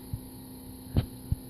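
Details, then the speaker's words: Turbo Honda boost control solenoid tested from a laptop via Hondata at 55% duty: steady low hum with a couple of soft thumps, louder with higher duty; solenoid operating normally. "it definitely did turn on and it is humming like crazy so we can change the duty on it and make the noise get louder"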